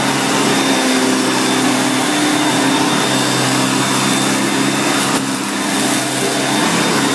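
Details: 1990 Electrolux 616 Electronic (Z616AE) vacuum cleaner, bought used and cleaned, running during edge-cleaning test: steady, even high-pitched motor roar, no surging, rattling or grinding; motor runs really good, normal running.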